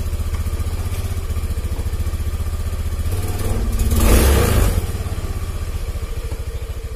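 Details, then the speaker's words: Honda Beat FI scooter with fuel in the tank, before repair; small single putters at idle, then revs climb and sag back unprompted; weak fuel pump pressure. "Oke, jadi kondisi mesinnya itu nggak stabil kawan ya. Tuh, RPM naik turun stasioner atau langsamnya."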